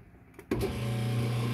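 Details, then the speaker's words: Used Kenmore 80 series washer, last left on spin: the motor switches on with a loud, steady low hum and rough buzz from a broken motor coupler; agitator dogs also worn. "yep so that noise is a motor coupler"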